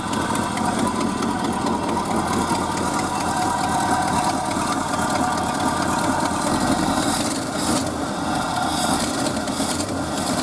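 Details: Early-1970s Ford F-350 that sat about 7 years, running on old gas with good oil pressure: steady V8 idle with a raspy, puffing hiss over the exhaust note. Exhaust leak at the donut gasket.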